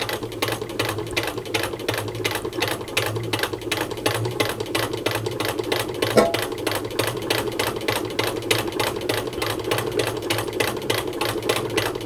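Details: 1923 hand-cranked Singer 15K sewing machine sewing fabric: even, steady clatter of about four stitches a second over a soft low hum, stitching like butter with a good strong stitch; normal stitching.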